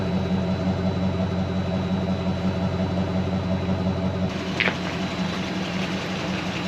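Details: 2005 Dodge Ram 2500 Laramie 4x4 with 5.7 Hemi on LPG, after cleaning throttle body and refitting intake manifold: steady, even low idle hum with no misses or stumbles; idling cleanly, improved.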